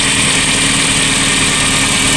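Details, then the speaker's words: VW Polo Classic that had an unstable idle around 1500 to 2000 rpm, after swapping the coolant temperature sensor, warming up from about 3000 rpm: the small petrol engine now idles at a steady, even pitch with no hunting or surging. "Can you hear the idle stabilizing?"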